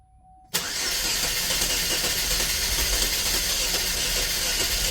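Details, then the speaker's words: 2010 Chevy Equinox, about 112K miles, oil-burning with heavy blow-by, started during Seafoam ring cleaning with air intake off: catches abruptly into loud hissy uneven run with no settled idle; owner suspects missing airflow reading causes it. "well she starts I think she's causing herself an issue because it doesn't feel any airflow"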